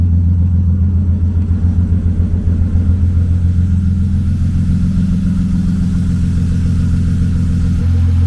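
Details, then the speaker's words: BMW E36 convertible six just started after cylinder head replacement: a smooth, even low idle with no knocks or misses, sounding like all six cylinders are firing. Slight smoke is thought to be grease from the headers; check engine light still on. "But as far as everything else, it sounds like it has 6 cylinders."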